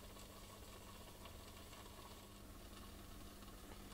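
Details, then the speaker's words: Older Nespresso Aeroccino without thermal fuse, after repair of a blown heating element: quiet steady hum with a faint even buzz while frothing; milk gets hot and steams, so the repaired element is working. "There it goes, it's frothing. Oh, it's getting hot. Could watch this all day. The light is on, it's steaming now. So the element is working."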